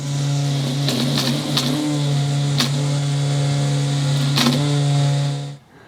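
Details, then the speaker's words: ECOVACS GOAT A3000 Pro robot mower, TrueEdge trimmer cutting along lawn edge after update: steady even motor hum with light cutting whir, no rattles or labouring; normal cutting, much closer to the edge, tiny bit missed. "Is it going to get better at this edge? You can already hear it's cutting quite a bit. I'd say that's some pretty good improvement."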